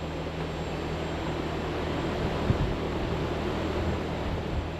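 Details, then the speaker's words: Carrier Infinity variable-speed heat pump outdoor unit with R454B refrigerant, cooling mode on high speed at 67 decibels: soft steady fan rush over low even hum, no rattles or grinding; normal quiet running. "It is on high speed. So right now the decibels on this unit are 67 on the high speed."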